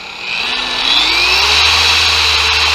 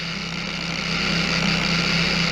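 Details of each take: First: Bauer 56367 20 mm orbit DA polisher after the fix, upgraded backing plate and fresh high-quality grease: the whine climbs smoothly to a steady high speed and holds even, with no shaking rumble; night-and-day smoother and balanced. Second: Bauer 56367 DA polisher (20 mm orbit) on minimum speed with stock backing plate: a steady low buzz around 190 Hz with a rough hiss. It shakes hard and worsens under pressure.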